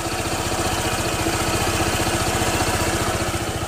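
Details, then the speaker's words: Honda All New PCX 160 2021 scooter after 4 months use, microphone held close to engine at idle: steady quick pulse with coarse raspy edge; harsh engine note present since new, owner now accepts it as normal for this engine. "Kemudian kekurangan yang kedua masih tetap seperti awal motor ini datang ya, yaitu suara mesinnya ini kasar."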